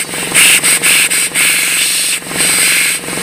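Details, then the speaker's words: RamAir electric air compressor running again after a seized, non-starting motor was freed and a broken fitting removed: rapid pump chatter under a loud steady hiss, air leaking at the shaft seal, never reaching full pressure. "is it's kind of leaking at the shaft seal here"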